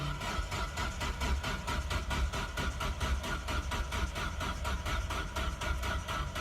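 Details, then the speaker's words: Nissan 240SX no-start after patching the tach signal wire and rewiring wideband ground: steady starter cranking with even compression pulses about four a second, never fires; wiring or sensor issue suspected. "So, I could not get the 240 to cranked over today and stay running. Well, actually, I couldn't get the 240 to run today."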